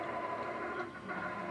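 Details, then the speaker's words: Katadyn Powersurvivor watermaker after poppet-valve replacement and reassembly: short, steady pump whirr with no knocking or rattle, air drawn through the line, now sucking normally while preservative runs into the membrane. "And that means that the poppet valve replacement will have worked. I can hear air going through it now."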